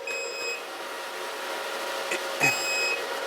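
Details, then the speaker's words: Antminer ASIC miner at about 36 °C with no power draw. Two long shrill beeps about two seconds apart over fan hiss, with a red light, because a power connector is unplugged. The miner runs normally once it is reconnected. "the beeping sound the red light it means we don't have the connector here"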